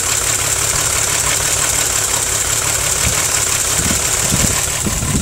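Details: VW VR6 12V idling rough, with misfires on cylinders 2, 3 and 6 (mostly 3); stumbling beat, check engine light blinking. Coilpack, plugs, wires, coolant temp sensor and purge valve already replaced. One cylinder eventually drops out at idle; runs smoothly when driving.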